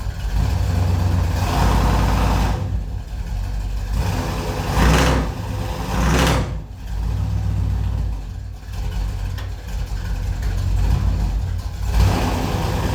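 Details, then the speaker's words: 1984 Chevy Silverado V8 after a timing adjustment, throttle blips: deep rumble rising and falling with revs faltering as they climb, a hesitation still there at low rpm under load. Owner suspects a high-performance cam; cause unconfirmed. "So it might be a little better, but I'm still feeling that hesitation."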